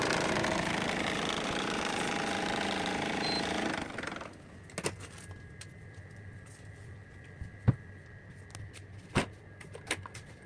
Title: AC Blower Making Noise | Blower Change | এসি ব্লোয়ারের শব্দ করছে | ব্লোয়ার পরিবর্তন | 👍🇶🇦🛠️🧰